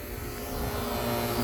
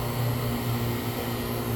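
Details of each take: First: Fieldpiece vacuum pump pulling on a closed AC system, valve closed and back down to microns: steady, even drone with no surging, sounding different from when moisture or a fine leak is drawn in; normal on sealed system. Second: Fieldpiece vacuum pump on an AC system with a line opened: steady drone turns hollow and airy instead of tightening up, pumping out steam; outside air and moisture being drawn in through a leak.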